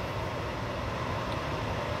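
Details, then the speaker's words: Propane furnace failed ignition and locked out with the gas valve shut; blower keeps running with a steady even fan rush and no burner light-off, purging the propane, during sail switch and limit switch troubleshooting. "it'll shut down the gas valve and then it'll say all right purge all that propane out of there just for safety hence the brown circuit"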